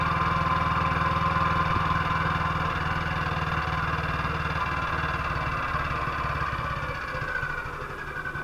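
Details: 1958 BSA C12 single-cylinder on a road test after a misfire fix; the misfire had earlier caused a breakdown, and the battery tested fine at 6.3 V. Even beat at about four firings a second with no missed strokes as it pulls away and fades. Normal running.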